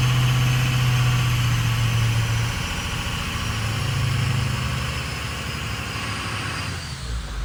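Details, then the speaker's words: 6.0 Powerstroke Ford diesel with 190,000 miles and a 4-inch exhaust with a big muffler: deep idle that runs a bit unevenly at first, then smooths into a steady, even beat with no knocks or misses. "started off a little rough but now I think we're okay"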